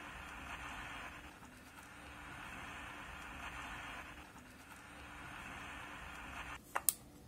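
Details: 1970s Emperor AIE-641 single-battery pocket radio, sold as non-working, plays very quietly: only a faint hiss and low hum from the speaker with no real sound; an open coupling capacitor is starving the output stage, and a small repair restored normal volume.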